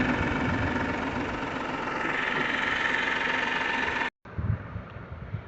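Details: Mahindra KUV100 1.2 L diesel, about five years old, steady idle: loud harsh tractor-like clatter, louder in person than recorded; owner says a diesel shouldn't be this noisy, cause not yet found.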